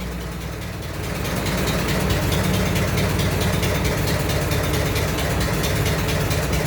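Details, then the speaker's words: 100-year-old 1924 Dodge truck engine idling just after a dry start, throttle held up slightly, about 40 lb oil pressure, no smoke: slow rumble with a steady puff-tick about twice a second; exhaust leak. "I must have got to adjusted pretty good got an exhaust leak huh"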